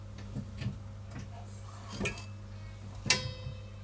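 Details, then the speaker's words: Renault Clio 2 rear drum brakes after fitting a new pre-assembled shoe and wheel cylinder kit: five or six light, irregular clicks as the brake pedal is pumped, over a quiet hum; the automatic self-adjuster works normally, clicks stop once adjusted. "C'est très simple, il suffit de pomper sur la pédale de frein et on entend le système fonctionner car il fait des petits clics."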